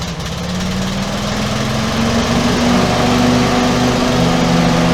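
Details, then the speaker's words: Small single-cylinder lift engine after repairs, started with a little less choke: revs up to a loud, raspy, even drone with a popping edge; the muffler pipe on the base plate has rusted through. "we do have a problem with the muffler here part of the muffler the little pipe there on the base plate it rusted through so we have to get another one"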